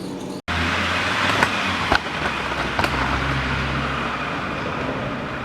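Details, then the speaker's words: 2000 Toyota Vitz SCP10, 1.0 L petrol, automatic, 275,000 km: raised rear left wheel spun gives a steady low drone with a rough, grainy edge from a worn rear hub bearing, unpleasant to drive; fix is replacing the rear hub. "вот так ведет себя ступичный подшипник ступица сильный автомобили ехать неприятно"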